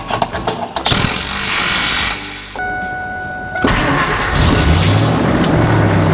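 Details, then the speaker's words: 1999 Ford F250 V8 after exhaust leaks were fixed with welds and clamps and the stock muffler replaced by a 2.5-inch Thrush glasspack: the starter whirs, then the engine catches into a deep steady rumble, quieter than before but louder than stock, with no puffing or ticking. "Yep. Sounds like a truck. It's quiet."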